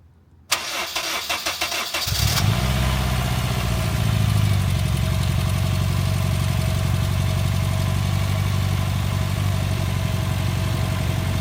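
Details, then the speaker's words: Honda Fit after a spark plug backed out and the coil pack burnt, with new spark plugs, coil packs and battery fitted: cranks briefly, catches quickly and settles into a smooth, even idle with no miss; engine healthy. "Sounds fine. The car is solid."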